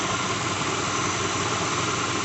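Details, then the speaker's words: 2006 Lincoln Town Car V8 just started cold: a steady whir with a busy rattle, and an occasional knock reported earlier. Plugs, coils, pulleys, alternator, belt and cam sensor were already replaced without change. Failing harmonic balancer suspected, not confirmed. "it is a harmonic balancer. I'll start doing it after it warms up a little bit. You can hear it rattling right now."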